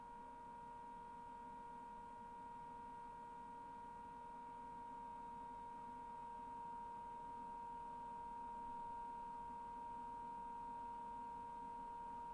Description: Brand new LG FWY606WWLN1 washer-dryer. Wondering if this whining noise while drying is normal or a fault. It's unfortunate that the otherwise very quiet performance of the machine is compromised by the noisy and high-pitched drying fan.